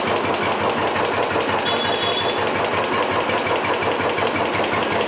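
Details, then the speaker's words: Royal Enfield Bullet just started after hydraulic tappet replacement and fresh oil, head top cover off, oil circulation reaching the top. Steady single-cylinder idle thump with light valvetrain ticking, no heavy tapping; sound should be smoother once the cover is fitted. Normal idle. "చూసారా, oil వచ్చేస్తుంది కదా. Okay okay మనకి head top వేస్తే sound అనేది ఇంకా smooth అవుద్ది."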